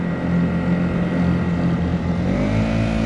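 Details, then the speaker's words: Honda GX50 50cc powerhead outboard on a Nucanoe Pursuit kayak, one click off idle: smooth, steady low drone with slight pitch lift; runs evenly. "Not even trying. Plenty of reserve power if you got to pull somebody."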